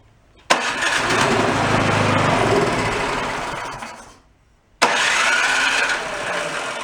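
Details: Two-stage snowblower bought at a yard sale, started on choke with a squirt of fuel: it fires, runs a few seconds, sags and dies, then catches again on restart. Debris in the fuel system is suspected.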